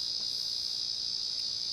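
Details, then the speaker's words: 1990 Casablanca Panama 50-inch Inteli-Touch ceiling fan at power-on, first speed, with faulty control board sound driver, suspected bad capacitor or transistor: constant thin high-pitched buzz continuing until power is off; fan otherwise works fine. "so as soon as i turn the power onto the board it'll make this noise and we'll start up on the first speed like i said this noise will continuously be heard until i turn the power off"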